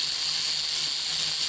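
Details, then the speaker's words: Model T buzz coil, a reference coil with its condenser changed and points readjusted, run on the bench from a 6 V sealed lead-acid battery: a steady, unbroken high buzz with points vibrating cleanly and multiple sparks, as a good coil should sound. "can see how well it produces a spark now it's multiple multiple spark"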